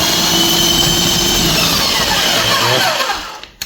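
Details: Erbauer EAPS600 airless paint sprayer with valve down in prime position, liquid coming through prime tube; steady high-pitched motor whir with pumping buzz, winding down and stopping, which shows it primed properly; normal priming.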